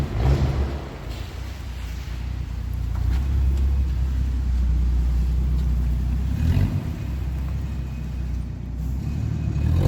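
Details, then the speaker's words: 1982 Ford Granada 2-door with a disconnected exhaust pipe (rotted flange), choke on: loud, raw low rumble with uneven chuffing that swells with revs; large exhaust leak. "okay time to hear a large exhaust leak straight pipe"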